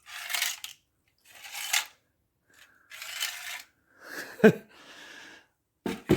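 Irregular dry crunching and scraping bursts as the part is flexed, brittle rotted fins and tubes crackling, a badly corroded radiator.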